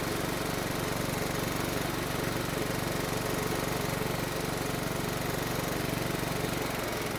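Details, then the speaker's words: Riding mower that would only run on choke, after the carburetor was refitted: a steady, even single-cylinder chug with no surging or stumbling. Normal running. "then we'll start it up and see if we can move the choke lever into the run position and maybe even into the idle position"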